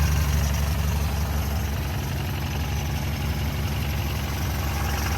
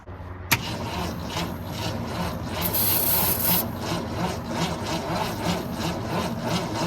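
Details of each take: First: 1964 Ford Falcon wagon six, sat 46 years in a field with plugs removed, just started on its original carburetor: deep, steady, even low-rumble idle with no knocks or misses; normal idle, oil contaminated and due for change. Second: 1964 Ford Falcon wagon that sat 46 years in a field with plugs removed, cranked after reinstalling plugs: sluggish cranking at about three strokes a second with no firing, not even a pop.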